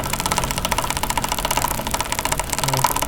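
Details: Fast, even tak-tak knocking, about ten per second, over the motorcycle engine; sounds like broken front sprocket teeth, but it comes from the front sprocket lock mount held by two 10 mm bolts, fixable free at home.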